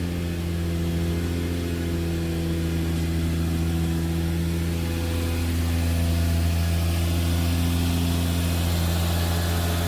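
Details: Turbo Lexus IS300 cold idle right after first start on an ECU Master Black standalone with ID250 injectors, running rich at about 10.5 AFR; steady, even idle hum with no misses or hunting, healthy cold idle.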